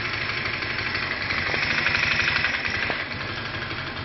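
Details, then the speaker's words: Viper Active motorcycle after repair of a loud timing chain, tensioner and valve noise, carburetor cleaned, non-original air filter intake hose: even, quick idle about four pulses a second with no chain rattle. "заводим можете заметить что того шума уже нету И всё"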